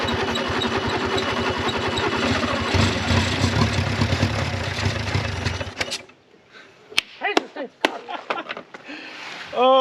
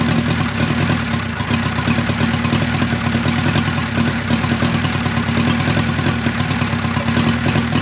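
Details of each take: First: 1955 Renault 4CV, off the road since 1970, first run on a little two-stroke fuel after freeing the locked engine; uneven, stumbling firing surges and sags for about six seconds then dies, rough running that owner suspects is from a bad carburetor. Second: 1955 Renault 4CV, off the road since 1970, engine once frozen (pistons, cam, lifters, rockers) now freed, running with fuel pump, carburetor and coolant fitted; steady, even idle with a smooth low drone, no knocks or misses, sounds healthy.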